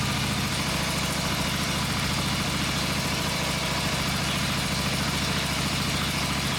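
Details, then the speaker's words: Vintage Harley Shovelhead V-twin on the stand after full engine and transmission rebuild: loping idle about three and a half beats per second, steady, no knocks or misses; sounds good, normal idle. "Go. She sounds good. Sounds good."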